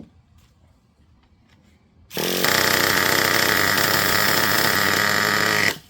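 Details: Traxxas Revo 3.3 nitro RC truck engine being tuned: after a quiet start it fires and holds a steady high buzzing run with no cutting off; running properly.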